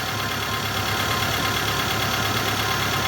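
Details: 2015 Renault Logan petrol engine idling smoothly with a steady low hum, no whine or grinding, after replacing the alternator that had a noisy bearing and was not charging; now charging.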